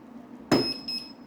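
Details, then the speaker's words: Gotway/Begode MCM5 V2 wheel after a tire change, rolling with a chunky, jerky motion once the motor is plugged in: one sharp click as the motor briefly engages at power-up, then a beep as if tilted; it fails to self-balance, cause unknown. "hear that click it's like it engaged the motor for a second and then it beeps and it it doesn't self-balance and it still has that chunky feeling it doesn't roll smoothly"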